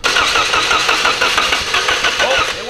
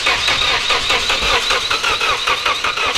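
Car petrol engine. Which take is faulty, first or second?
first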